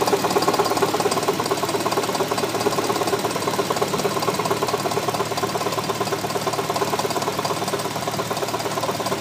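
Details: 2003 Hyundai Tiburon GT V6 idling with a steady sharp knock of about two beats a second; knocking comes and goes for a few seconds, lasting longer than usual here.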